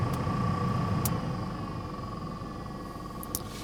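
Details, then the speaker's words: Pontiac Vibe with a newly installed replacement blower motor: quiet steady fan whoosh, the earlier rattle gone, but a thin constant buzz rides on top; still not quiet enough, so the motor is to be returned. "it sounds like the rattle has gone away but there's just a little bit of buzz that i can hear maybe from this angle you can hear it a little bit better"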